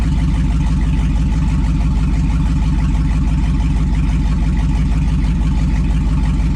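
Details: 2002 2500HD parts truck, possibly 622,000 miles, on old gas; over 40 psi oil pressure, alternator charging; even steady low V8 rumble at idle, no knocks or misses; healthy.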